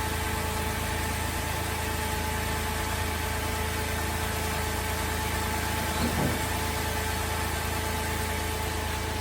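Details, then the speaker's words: Holden VZ Adventra Alloytec V6 after replacing the failed number 5 ignition coil, started with covers still off: steady, even idle hum with no stumbles, misfire fixed. "Before we put the cover back on, we'll start it up and see how we go. Fingers crossed. Looks to have done the trick."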